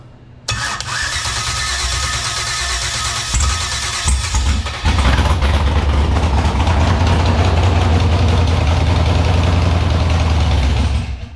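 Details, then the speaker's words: Gen 4 5.3 V8 (243 heads, Truck Norris cam, Sniper EFI, MSD 6014) in a Fox Body, first fire on gas poured into the intake and hot-wired starter: cranks, catches and settles into a deep, slightly lumpy but steady idle; sounds healthy. "There it is. She's running. Sounds pretty healthy too."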